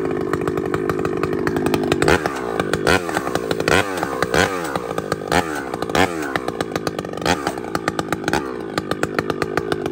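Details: Chainsaw (a 395) with 3/8 chain cutting a cedar log bogs and surges, revs dragging under heavy pushing instead of pulling in cleanly; slow cutting from depth gauges (rakers) set too high.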